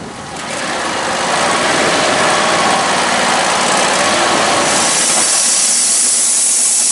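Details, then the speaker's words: Home-built sawmill after many years of service, engine running with new wheel belts fitted. A small engine comes up to speed under a rough, hissing rush with a gritty edge. The bearing is noisy and pretty bad. "well folks we didn't have the outcome i was hoping for that bearing is noisy and it's not the belts on the wheels although they needed changing that bearing is pretty bad"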